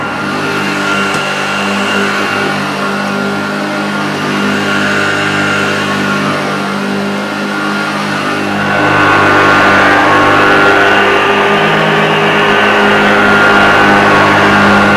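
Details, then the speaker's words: Unused 1975 Hoover Junior 1346A upright vacuum cleaning carpet with old belt: steady, even motor drone with constant whine tones lifting slightly halfway as it settles; lovely vintage sound, healthy, slight struggle thought not the motor's fault, new genuine belts would probably help. "well I'm pretty impressed with this Hoover Junior it's got a lovely vintage sound it smells vintage doesn't smell musty"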